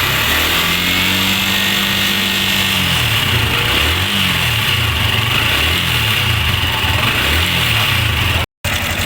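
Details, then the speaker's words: Sniper 155 single-cylinder motorcycle idling evenly and quietly with fresh oil, idle raised and cam chain tensioner adjusted by hand, after earlier cam bearing and clutch damper replacement failed to cure the noise; no chain rattle or valve ticking. "narinig niyo na tahimik na tahimik na yung kapitbahay kanina dala-dala niya yung kapitbahay niya"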